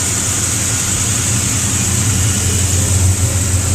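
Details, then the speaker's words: 1956 Chevy Nomad started after battery charging, back again, with a rear end issue still to diagnose: a steady, deep, even idle with smooth exhaust rumble and no knocks or misses, a normal idle that sounds good. "so anyways guys there's a small update on the 56 Nomad it's sitting here running sounding good"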